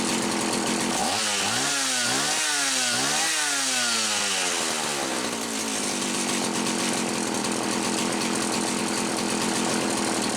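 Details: Homelite 360 chainsaw, after repair on the bench: it wouldn't run consistently because a misaligned carburetor (intake) bushing let air in and interrupted fuel flow. Mixture about 1¼ turns. Revs up and down cleanly, then holds a steady high whine without stumbling; normal running.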